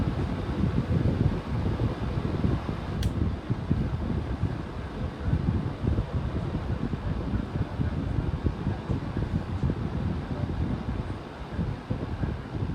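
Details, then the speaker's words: 11-inch Hampton Bay table fan at medium-low speed: low fluttering whoosh with hollow resonant drone; owner unsure whether it's a fault or just how it sounds moving so much air. "it is moving quite a bit of wind so maybe that's just what it sound like because it's moving so much air"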